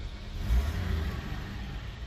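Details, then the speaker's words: Toyota FJ60 Land Cruiser with a six, four-speed, and the air injection and EGR removed, started without touching the gas. It idles at about 500–600 rpm with good oil pressure and temperature. Deep, steady rumble that swells with a throttle blip and settles evenly; normal idle. "I'm going to turn the key I'm not even use a gas so confident they'll start up idling there at uh what is that about 5 600 give it a little"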